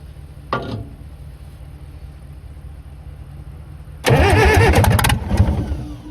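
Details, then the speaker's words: Caterpillar 922B loader diesel, revived, fed by temporary electric fuel pump, low fuel pressure, good oil pressure: uneven lumpy run with irregular pops and snaps over the clatter; rough running, cause unclear. "That engine is running really rough there, popping and snapping"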